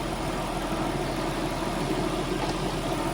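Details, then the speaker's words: Nissan R33 Skyline GTST RB25DET after rebuild, idling cold after split fuel hoses were fixed with an Aeromotive pump and new lines: low, steady, smooth burble with no knocks or ticks; it purrs. "so I swapped that in and replaced the lines and the tank this thing purs"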